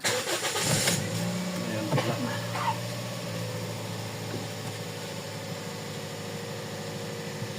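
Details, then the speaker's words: Toyota Vios (Batman) after #4 ignition coil/injector misfire (P0354) repair and check-engine code cleared via battery reset; cranks, catches quickly, settles to smooth even idle while warming up, no more misfire. "Okay. Wala na siyang missfire eh."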